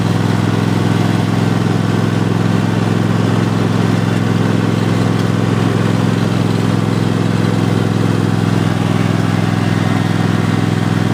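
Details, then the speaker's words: 2015-engine Cub Cadet XT1 Enduro Series lawn tractor (2016 machine, 4-5 years old) driving forward on the pedal with the deck engaged: even, steady engine drone, low hum, no whine, clunk or grinding; transmission sounds healthy, steering feels good. "forward yes steering feels good doesn't have any weird Suns coming to a transmission"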